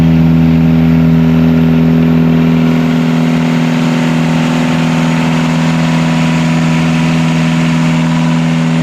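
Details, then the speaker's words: Catamaran diesel genset on the bench after correcting two swapped controller wires that had caused full throttle and shutdown; steady constant-speed drone with even pulse, no hunting or surging: normal running. "So we'll now run it on the bench here for another few runs. We've run it multiple times now, but I'm going to make sure 100% it's all good, and put it back in and make sure I get the wires around the right way this time."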